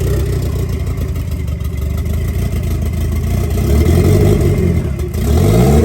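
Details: 1990 Mitsubishi Eclipse GSX engine, first start after the intake manifold was refitted and oil was primed: low, uneven chugging settles into a steady run, then the revs climb toward the end. The engine starts and runs.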